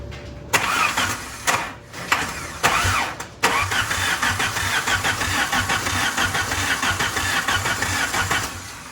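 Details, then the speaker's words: Dakota being turbo-swapped with wiring from a 1991 Dodge Shadow, battery charger on: starter cranks the engine steadily but it never fires; no spark, owner suspects the coil driver wiring or junkyard Hall effect sensor. "Doesn't look like we're getting anything. What in the fuck? Alright, everything's plugged in. I mean, it could be the Hall effect sensor because it was in the junkyard, so it probably wasn't running for some reason."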